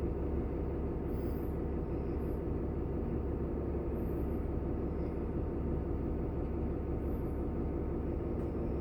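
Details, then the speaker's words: Diesel bus idling during air brake test, compressor building from 85 PSI toward 100: steady low rumble with even, unbroken beat; normal idle with compressor charging. "I'm at 85 PSI my 45 seconds starts from now it's at 85 so it starts at 85 that's what okay it must reach from 85 to 100 within 45 seconds"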